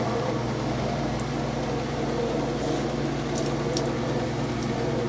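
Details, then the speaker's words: Roper direct-drive washer after installing a new motor coupler, spin test: steady low motor hum with water rushing through the pump, even and unbroken. Spin, drain and agitation are restored. "training really good you can hear it you can see it spinning that's working we have our agitation and spin back because the motor is able to turn the transmission"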